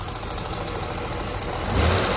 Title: 1988 BMW 735i (E32 E34) lifter tick engine idle (m30b35)